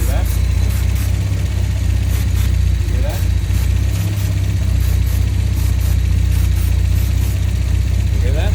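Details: 1971 Volvo 1800E B20 four-cylinder on first start after a stop-gap head gasket replacement (bores rust-damaged) and fresh oil, run before re-torquing head bolts: low steady idle with even beat, no knocks, ticks or misses; runs smoothly.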